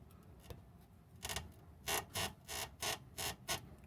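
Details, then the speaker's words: Six or seven sharp, dry creaks come as the front end of a second-gen Toyota Prius is rocked, just after fitting junkyard Corolla sway bars. It is a creaking front suspension joint that is also heard while driving. "hear that noise i can hear that noise when i drive the car and it's pretty annoying"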